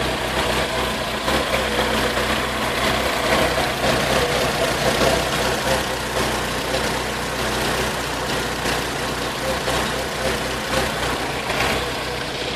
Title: VX220 misfire.